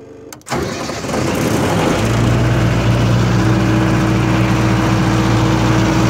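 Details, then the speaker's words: 1995 Libby MEP-804A 15 kW military generator, 4-cylinder liquid-cooled Isuzu diesel, 2010 rebuild, 688 hours, engine cold: catches within half a second of cranking, then settles into a steady, even idle with no knocks or misses; healthy cold start. "as you can hear it runs great no unusual noises whatsoever no leaks"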